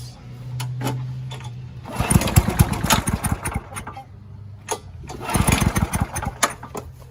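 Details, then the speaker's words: Curbside-rescued MTD mower cutting grass after an engine-speed increase and oil change, still with no air filter; lively single-cylinder putter swells and dips as it bites into grass and recovers cleanly; owner suspects earlier smoke came from tipping and overfilled oil; normal running under load. "it runs pretty well so I'm going to I'll put a clamp on the handle see if we get any more smoke from the exhaust"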